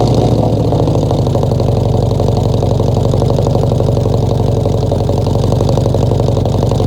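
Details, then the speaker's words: 1966 Ford F100 V8 first start in 17 years, bottle-fed fuel into carburetor, no coolant (freeze plugs out): loud lumpy idle, a cylinder dropping out now and then; definite miss, rough running. "Now she's not gonna run on her own because I'm just bottle feeding her. But she almost tried to idle. She got a definite miss."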